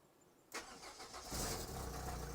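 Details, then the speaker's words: Renault Clio Baccara that previously failed to restart minutes after running, blamed on an undersized starter battery: after a pause it cranks briefly and catches at once into a steady idle; clean start, fuel low. "success we have success we don't have a lot of fuel but we have success"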